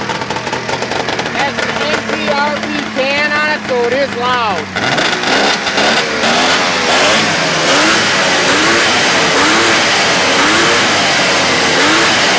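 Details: 1999 Arctic Cat ZRT 800 two-stroke snowmobile with 4,475 miles, being parted out: crackly engine catches and settles, then swings up and down through quick repeated throttle blips; it runs and revs cleanly.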